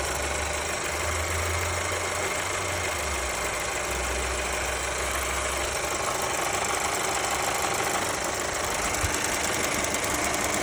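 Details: Mercedes A-Class W177 with M282 engine at steady idle: light, fairly quick, slightly uneven ticking, about three a second; engine tick of unknown origin.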